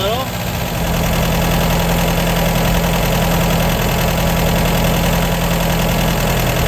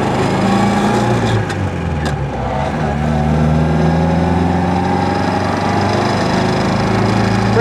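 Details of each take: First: 1953 MG TD after engine teardown, during timing and SU carburettor tuning with jets set two turns down: a steady, even, low idle; lifting the piston shows the carburettor running too lean. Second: 1953 MG TD being driven after an engine teardown and an SU carburetor and timing tune. Oil pressure is about 50 psi and water temperature is 170°F. The engine note is smooth, with good power, no carburetor pops and no hiccups; it runs well tuned.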